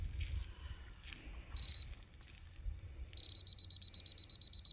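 A high, thin beep sounds once, then rapid even chirps come about five per second as the receiver picks up the beam.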